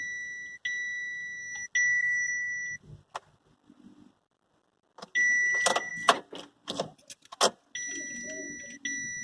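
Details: Chevrolet Captiva that won't start: repeated steady high electronic beeps in groups with pauses and key clatter between, warning beeps during the no-start. Cause suspected, not confirmed.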